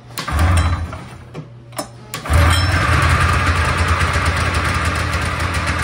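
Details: Polaris Trans Sport two-up long-track snowmobile two-stroke, first start after 10 years' storage following fuel-system work and cleaned plugs: cranks briefly, catches on the second try with the choke on, then a rough, fast, smoky idle; it runs again.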